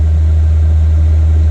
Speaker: and it's nice and warm so most of the noise now is just the fan you can't hear the clicking um